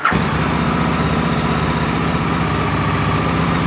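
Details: Gen 1 Aprilia RSV Mille / Tuono V-twin at a workshop for pre-season track prep, starting for a heat cycle. Quick catch, then a steady, lumpy idle with no starter clutch clatter or slipping; healthy. A properly charged battery helps prevent starter clutch trouble.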